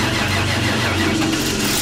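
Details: 1995 RV after fuel pump replacement, pump connected; cranking rolls straight into steady even rumble with slight rev, catches cleanly; normal engine start.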